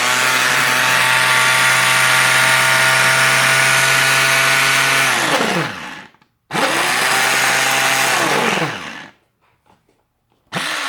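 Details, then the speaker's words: Tefal Optiblend 1000 W hand blender: loud high motor whir holding a steady pitch, winding down when switched off and restarting; fairly noisy, louder than a previously used mixer, but operating normally. "bu tığla bayağı bir ses çıkardığını Söyleyebilirim ama Bye bye gürültülü çalışıyor Evet şekilde biraz gürültülü olduğunu söyleyebilirim"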